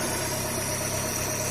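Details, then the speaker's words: Chevrolet Corsa Classic that had a loud belt-area noise and a battery warning light, now idling with the headlights on: an even, steady hum with no squeal or chirp, about 13.46 V. Normal idle; earlier belt noise gone. "ligamos o farol não tá fazendo mais o barulho que tava fazendo antes lá na Correia né"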